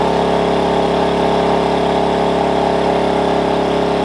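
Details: Wen 56203i 2000 W inverter generator (built 7/2020) recorded right next to the unit while carrying about 1375–1400 W: a steady, even drone with constant tone and no hunting or surging; it holds speed smoothly under load.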